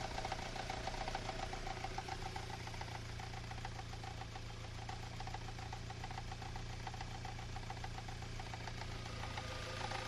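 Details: Engine idling with a steady knock about three to four times a second riding over the rumble; source of the knock unclear; engine knock.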